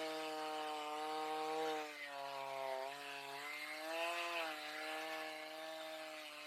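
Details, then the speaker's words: Stihl MS310 chainsaw after a no-start repair needing no parts, carb adjusted (four-stroking rich, LA screw set), oiling well, run at high speed: high, clean buzzing whine with slight wavers and no bogging; normal running. "Show you guys how it runs real fast, and then we'll go cut a little bit of wood."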